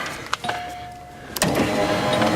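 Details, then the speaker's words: Cadillac Eldorado power window after track work: steady motor whir as the glass goes down and back up, smoothly without catching or grinding, noticeably more stable though it still flops slightly; healthy. "She goes down. She goes back up. You're not hearing the cheesy music in the back. Nice. It's a lot more stable."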